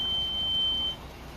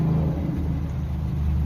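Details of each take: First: 2010 Kia Soul brake squeal, pads still with plenty of life: a thin, steady high-pitched squeal over low rolling rumble. Fix: sand pad faces and edges, apply anti-squeal to pad backs, clean and lube slide pins with silicone. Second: Kia Soul (2010) after brake squeal fix on still-good pads: pads sanded, anti-squeal on pad backs and caliper, slide pins lubed; low, steady car rumble with no squeal or scraping, brakes now quiet.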